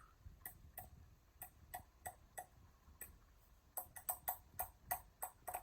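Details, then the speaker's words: Hampton Bay Huntington III ceiling fan running forward, tested outdoors: finger touching the blades gives sharp ticks about three per second, speeding up as it spins up; slightly faster forward than reverse, normal running. "All right. But it was just a hair faster on forward than it was in reverse."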